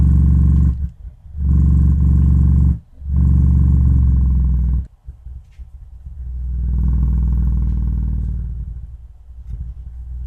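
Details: Miller & Kreisel MX-70B powered subwoofer, no input connected: loud ~30 Hz drone surging and cutting out in bursts; amp breaking into oscillation, frequency shifts with low-pass adjustment, suspected high-ESR capacitor destabilising op-amp supply, or dirty pot.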